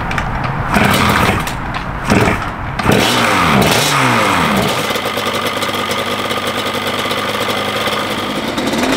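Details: Restored 1989 Yamaha Banshee two-stroke with FMF pipes, first start after a wire harness swap fixed no-spark (possible slight coolant leak): starts, blips a few revs, settles to a crisp steady idle without misses; sounds good.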